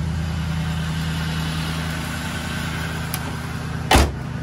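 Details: 2001 Cadillac DeVille V8 after replacing ignition coils and spark plugs for P0351/P0303 codes: steady, even low idle with no misfire, stumble or knock, one dull thump near the end; some oil smoke, suspected worn piston rings.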